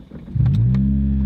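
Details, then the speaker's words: Toyota Matrix/Corolla 1.8 L four-cylinder, worn but starts right up: settles into a loud, deep droning rumble, raw blat of exhaust escaping through a rotted pipe hole; exhaust leak, carbon monoxide risk in cabin. "of course it's got noise from that pipe so you don't want to be affixiated"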